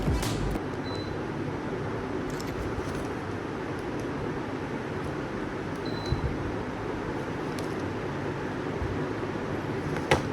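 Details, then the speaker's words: Havells Fab ULED BLDC ceiling fan, about 5–6 months in use, running at full speed 5 with no noise reduction and everything else in the room off: only a soft, steady airflow hush with no ticking, humming or wobble; quiet, normal running. "ये fan on है, सिर्फ room में fan ही चल रहा है, बाकी सब मैंने बंद कर रखा है।"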